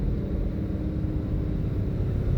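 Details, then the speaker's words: 2017 Mustang GT (S550) from the cabin over bumps, about 150 miles after fitting BMR's updated toe rod ends and an alignment, replacing a bad-batch noisy set: only steady low road rumble, no knocks or clunks from the rear; suspension tight and quiet. "This road here coming into my complex is like bumpy as hell. I just... Look at that. I got nothing."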